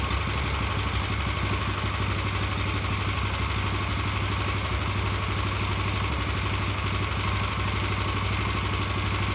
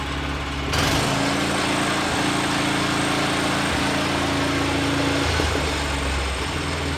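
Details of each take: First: Revived Vanguard 9 hp single-cylinder tractor engine after carburetor work: holds a fast, even idle that never drops back even with throttle switch down; throttle cable sticking and not returning, causing high idle. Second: Vanguard 9 hp single-cylinder tractor engine, final run after freeing sticking throttle lever with WD-40, oil topped off: steady even beat at constant speed, no stumbles or misfires, some unexplained vibration; running properly, much quieter.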